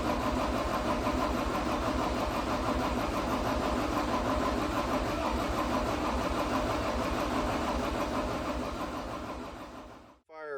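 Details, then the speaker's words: 2012 John Deere 333D skid steer, remanufactured long block diesel after ether and fuel-system bleeding: uneven thud about three beats a second, then winds down; sounded wrong, smoking black, shut off and threw a code. Cause unconfirmed. "for just a little bit but it it wasn't sounding right and it was starting to smoke black and uh and then I shut it off because I didn't know what was going on"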